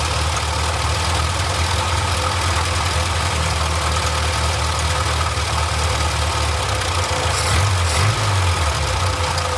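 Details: Barn-find Austin-Healey Sprite idling right after the old fuel pump was replaced with a new one; steady, even low idle with a smooth rumble, no misses or knocks, running cleanly on fuel.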